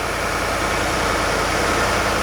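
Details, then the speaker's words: Truck after DIY shop work before a trip, started with key because remote start failed; steady, even idle, constant low rumble, no skips or stumbles; no misfire. "how about the remote off the remote off works well everything sounds right to me I don't hear a miss engine is running super smoothly"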